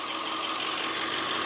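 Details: Ford E350 7.3 PowerStroke turbo diesel after a month down with fuel issues, following new injectors, sensors, turbo up-pipes and fuel filters: even, steady diesel idle with clattery top end, no stumbles or speed swings; normal idle.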